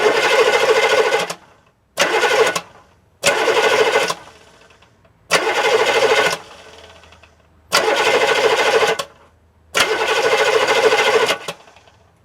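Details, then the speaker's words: Diesel with the microphone right under the starter: six even bursts of starter whir, each cranking about a second then winding down cleanly; normal starter cranking and spin-down. "I'm going to put the camera right under the starter. And you'll hear what it sounds like when it cranks and when it spins down."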